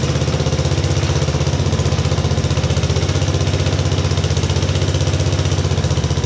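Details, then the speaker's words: 1950s Agricat mini dozer, rebuilt Briggs & Stratton model 23A single with coil/battery ignition and starter-generator, second start idling for break-in: steady even thump about three beats a second, no misses or knocks; healthy idle. "got it running we're gonna start it up for the second time and this leave it idle so break in a little bit"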